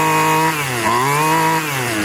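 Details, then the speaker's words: Yard-sale edger, warmed up, revved to full throttle without any carburetor adjustment: clean two-stroke buzz climbing and dropping smoothly through several blips without bogging. Normal full-throttle rev. "Wow, I don't even have to adjust that. not you don't want it to go slowly. So that thing doesn't even need any adjustment."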